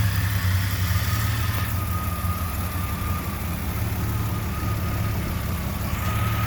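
Deep, low idle that wavers unevenly, with a faint irregular loping rather than a smooth beat; engine idling rough, cause not evident.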